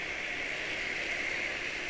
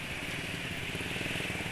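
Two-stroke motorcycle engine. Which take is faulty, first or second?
first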